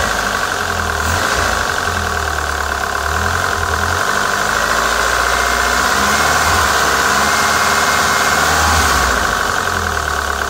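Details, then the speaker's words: PT Cruiser GT 2.4 turbo, diesel-like noise after two-hour drive, lifters, rockers and cam caps cleaned and refitted: loud rapid clacking about three or four a second over rough idle; sounded worse after cleaning, valvetrain clatter. "to me that sounded much worse"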